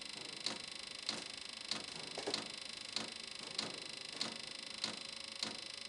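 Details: VEVOR Chinese diesel heater on its first test run from a 12 V deep-cycle battery, pump frequency set to 5.2, after the preheat: crisp, even fuel-pump ticks about every 0.6 s with no engine rumble; normal pump pulsing.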